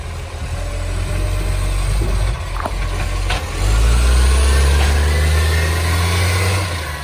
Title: City of Joondalup green waste with the roaring SL070 (massive exhaust leak)